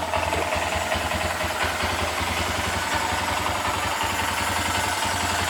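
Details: 2022+ Honda Grom single after installing a MNNTHBX V3 intake, fairings off, check engine light on: steady, even idle with a regular low thump and no knocks or misses; runs cleanly, normal idle.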